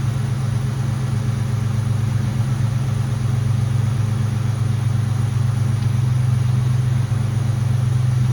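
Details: Mustang GT at idle after the power steering air bubble was fixed and the heater core was bypassed: a smooth, even, low hum; the power steering pump whine is basically gone. Normal idle, no whine.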